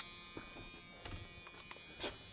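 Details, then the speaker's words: 1986 Chevy K10 short-bed pickup that sat for years, checked after the battery was hooked up. The four-ways flash and a steady high-pitched electric buzz sounds: the warning buzzer is working. "check inside real quick oh buzzard and four ways are flashing where's the four ways there you go"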